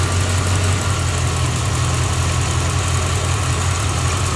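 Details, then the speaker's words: 1986 Corvette L98 TPI 5.7 L small block after cleaning a clogged EGR port on the plenum: steady, even low idle rumble with no knocks or stumbles; idling properly. "I guess next step is to go to the admissions test center sounds like it's idling properly"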